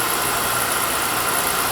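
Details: Oil burner after no-heat callback, fixed by refitting the drawer assembly that was hitting the electrodes and preventing spark: steady even roar with constant airy hiss, no pulsing, rumble or sputter; firing normally.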